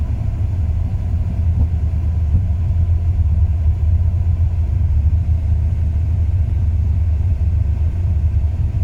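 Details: 2002 Ram 1500 5.9 V8 at idle: runs perfectly cold, but after 3–5 minutes warm the idle turns rough with an uneven beat and rpm drops; new plugs, wires, cap, rotor, cam and crank sensors already fitted; cause unknown.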